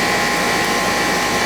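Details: AC unit on a no-cooling service call, now running: a steady condenser fan whir over a smooth compressor hum, no rattles or cycling. It is sweating and the air comes out hot; the unit runs normally.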